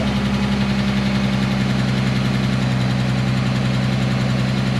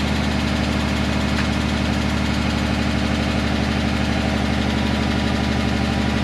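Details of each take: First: 2010 Dodge Charger 3.5L V6, just after the first start following timing belt, water pump and thermostat replacement: even, steady idle with a smooth low drone and no knock or tick. It sounds healthy. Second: 2010 Dodge Charger 3.5L V6, cold start after timing belt, water pump and thermostat replacement: steady idle with a fast, even light lifter tick. This is described as common on cold starts until oil pressure builds.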